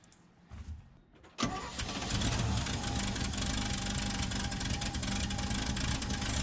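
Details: After battery reconnection: brief cranking, catches at once, settles into steady even idle, no misses or stumbles; clean start.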